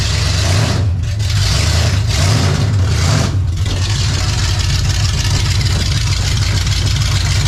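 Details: 28 Special crate 602 dirt late model race car, big petrol V8 idling after electrical issues sorted; loud steady deep rumble, even idle, no knocks or misses, sounds better; rear leak still present, suspected gasket. Normal idle.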